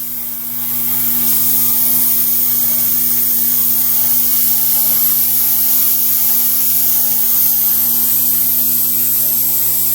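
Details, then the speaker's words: Modified Pro Cut variable-speed belt grinder at sharpening speed with added misting system engaged: steady motor hum, constant tone, hiss of spray on top, no rattles or grinding; running normally. "I'll turn it down to sharpening speed now Engage The the mister"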